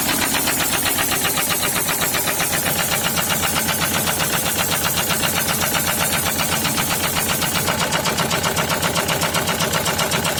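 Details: SsangYong Kyron D20DT diesel running with a heavy, sharp, steady knock, about four bangs a second, in cylinder 4 after oil pump failure caused oil starvation; no warning lights or diagnostic codes.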